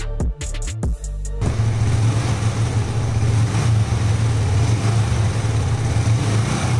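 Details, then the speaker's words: Yamaha MT-15 single after repair of an engine noise blamed on an oil circulation problem (third attempt): even, steady low beat with no knocks or ticks after a brief blip; engine now sounds like new, running normally. "आप एक बार bike की आवाज़ सुनना। का आवाज एकदम सही है। जितना नया उतना अच्छा गया। और इसमें कोई समस्या? नहीं।"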